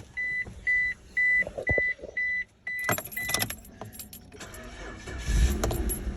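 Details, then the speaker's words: 2005 Suzuki Grand Vitara that stalled when braking (code P0340), after camshaft position sensor replaced at the marked timing position: chime beeps, brief crank, quick catch and steady even idle around 800 rpm with no misses. "तो अब गाड़ी बिल्कुल स्टार्ट है, ये आप देख रहे हैं। आरपीएम भी इसके ये आप देख रहे हैं 800 ये आरपीएम है।"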